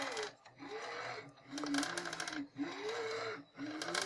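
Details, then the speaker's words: Anet A8 3D printer while moving: stepper tones swoop up and down over a gritty rolling hiss; noise comes from the worn linear bearings rather than the fan, with replacement bearings on order. "ce qu'est ce que ça fait quand même pas mal de bruit c'est pas le ventilo qui fait le plus de bruit c'est vraiment"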